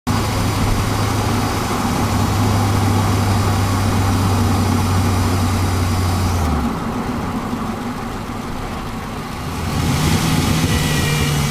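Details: Pontiac GTO driving with GoPro recording: intermittent steady low hum that appears for a few seconds then fades as engine note shifts; source unidentified.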